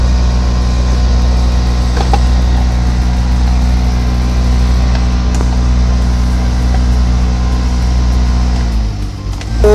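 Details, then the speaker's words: Maruti Suzuki Swift AC blower at fan speed 4, heard inside the cabin: a loud, steady roaring drone, much louder than at lower speeds, caused by debris caught in the blower fan. "चार number पर कुछ ज्यादा ही आवाज मार रहे हैं बहुत ही ज्यादा मार रहे चार नंबर पर"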